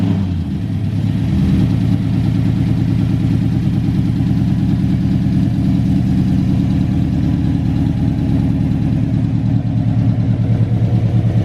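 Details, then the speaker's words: Big-cam GM 5.3 V8 in a truck, first start after swap: deep lumpy loping idle with hollow gaps in firing; the four DOD (deactivation) cylinders are not firing because the DOD valley connector was unplugged. "All right, so we just came to the realization that 4 cylinders are not firing, and they're the DOD cylinders."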